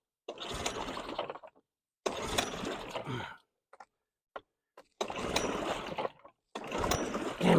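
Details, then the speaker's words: Two-stroke outboard on its first start of the season with choke on and gas just turned on: four separate one-second cranking bursts, never catching; flooded, with fuel pouring out. "I'd say it's flooded what the hell oh my God that was a failure a total failure"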